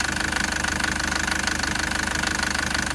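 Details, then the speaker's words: 2013 Toyota Prado (MY14 update), 1KD-FTV Denso diesel, 131,000 km, idling: hard, even knock about three times a second from prematurely failing injectors needing urgent replacement; engine sounds rough and clattery, not running fine. "lot of people are going to think that's a diesel and it's running fine this engine isn't running fine"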